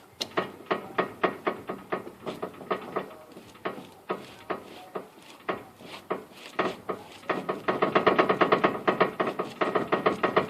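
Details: 2006 Mazda 3 with extreme road wander not cured by new inner and outer tie rods: sharp, dry clicks about twice a second as the wheel is worked, from a worn steering rack and pinion; replacing the rack fixed it.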